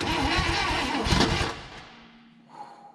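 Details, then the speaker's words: 1960 Chevrolet Impala sitting 38 years, primed carb: short, heavy, uneven cranking that bogs and fades within about a second and a half; starter strained, coil wire was unhooked so power lost off-crank; labored cranking. "starter doesn't sound real happy"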